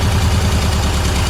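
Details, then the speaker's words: Air-cooled VW engine at idle with an oil-fouled spark plug on cylinder 3: lumpy, rough, uneven idle with a missing beat, firing on only three cylinders. "Yeah, that's oil. It's definitely only firing on 3 cylinders."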